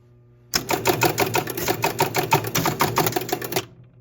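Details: 1974 Williams Triple Action pinball, ball count relay reset on replay button while chasing erratic reset bug: quick even run of sharp relay clicks, about three per second for three seconds, stopping cleanly; this time the reset cycle worked properly.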